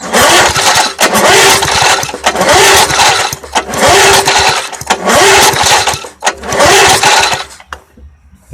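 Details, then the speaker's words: Old 20-inch Craftsman push mower, 3.5 hp Briggs & Stratton, oil present: repeated pull-cord whirs, engine spins but never fires; spark tester shows no spark, possibly a bad plug or coil. "Actually, I'm seeing no spark there. None at all."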